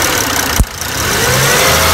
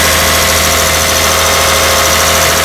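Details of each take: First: 2002–2006 Toyota Camry 3.0L V6, cold start with the engine coolant temperature sensor connector pulled off: click, then idle drops and labours unevenly near stalling; unplugged ECT sensor causes rough idle and no-start. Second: 2002-2006 Toyota Camry 3.0L V6, cold start with engine coolant temperature (ECT) sensor reconnected after no-start with connector off: loud, steady, even high idle, no misses or knocks; normal cold idle.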